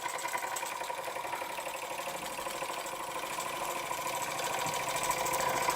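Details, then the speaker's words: Weeden 648 model steam engine with fitted Jensen electric heating element, heated about 4–5 minutes, no governor yet: steady fast chuffing with light mechanical rattle, two to three beats a second, slowly building; running well. "I still need to get the dummy governor for it, but yes, there we have a Weeden 648 steam engine with a Jensen heater, which seems to work quite well."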